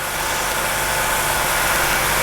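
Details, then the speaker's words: 1985 Jeep CJ7, 4.2L 258, new throttle body fuel injection kit, started after removing the ALDL jumper: steady, fast, hissy idle with no hunting at about 1200 rpm. It runs high until the throttle stop is set down to 725–750 rpm. "you notice that it didn't rev up real high it is running high right now and the tachometer is at 12200"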